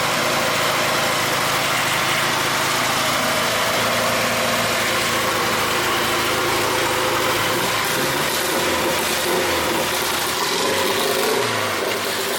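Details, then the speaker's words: 1G GSX AWD big-turbo build revving with old, patched, re-taped coil wiring after the cam angle sensor was clocked. Raspy, uneven exhaust note with frequent stumbles and dropouts, a clear misfire; the wiring is suspected and is to be redone. "so I'm gonna mess with the wiring on here again it just seems like it's misfiring quite a bit and it's just not having a good time"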